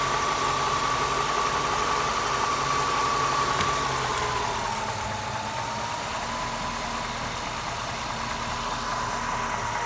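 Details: 1997 Lincoln Mark VIII, Ford 4.6L DOHC, while hunting for a vacuum leak: at steady idle a whistling hiss near 1 kHz sags in pitch as the idle drops when the leak is found. Vacuum leak.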